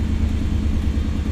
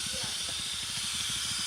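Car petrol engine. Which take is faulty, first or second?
second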